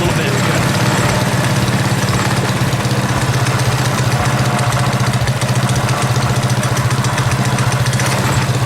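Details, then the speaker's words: Predator 212cc single on a modified Coleman KT196 go-kart with advanced ignition timing holds a slow, even, steady low idle with no misses or surging; owner says it sounds good before lowering idle speed. "what I can do at this point is I can actually reduce the uh idle speed or hit even mixture screw it sounds good"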